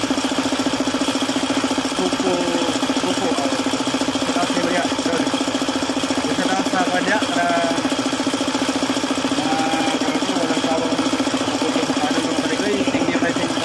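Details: Suzuki F6A engine at even idle with a steady knock, about three or four a second; knocking caused by oil starvation from a failed oil pump.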